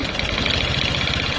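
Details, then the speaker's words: Honda Supra X 125 that won't idle, hesitates at mid throttle and runs rough, oil almost completely empty: harsh uneven idle with fast heavy knocking like a diesel, pointing to a worn crankpin and loose piston. "Suara mesinnya ada kayak suara mesin domping ini, Teman-teman."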